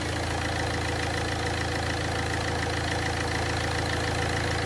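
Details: Ford Fiesta 1.4 TDCi diesel after heavy maintenance, idling while the coolant system bleeds air: even, steady fast patter with no odd knocks or rattles; smooth, healthy idle.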